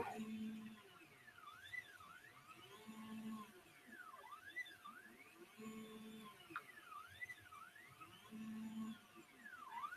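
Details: Printrbot Smalls 3D printer on its first print after finishing the wiring: quiet whirring motor tones sweeping up and down in pitch as the axes move back and forth; printing normally.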